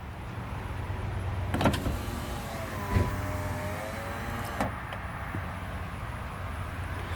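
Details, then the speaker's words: 5th-gen Honda Prelude (1997–2001) power window on an auto-down test right after installing a used regulator from a 2001 Prelude. Smooth, steady motor whine for about three seconds, soft clunks at start and stop, and no grinding. Normal operation. "alright let's test it out all right we're gonna hit the switch the auto down"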